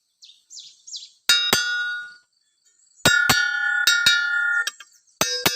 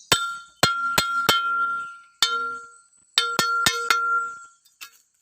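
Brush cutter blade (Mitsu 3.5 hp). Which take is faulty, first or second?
second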